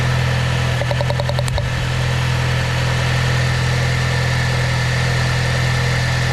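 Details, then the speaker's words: Saab 9-3 with a misfire, idling while each ignition coil is checked: smooth steady idle with a brief run of light quick ticks at the coil, the normal sound of a sparking coil; all coils spark. "Um, I should hear like a little ticking sound if it's working correct. And if it's not, then it should be completely quiet and not have an effect."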